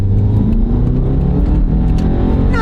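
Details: 2012 Subaru Forester, original owner, 160-something thousand miles, on the road: engine pulls smoothly and evenly under light throttle over steady road roar, no knocks or slips; engine and transmission healthy, though a rear wheel bearing roar needs replacing.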